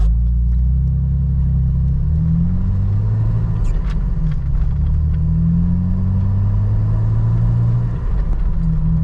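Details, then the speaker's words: Jeep Wrangler TJ after replacing leaky Flowmaster FlowFX with fully welded exhaust and Thrush muffler: start and idle, deep steady rumble with slight rev rise and fall, no ticking or hissing; no exhaust leak now. "yeah it definitely does not sound any quieter when you're just sitting here and whenever it starts up uh it sounds better because of there's no exhaust leak"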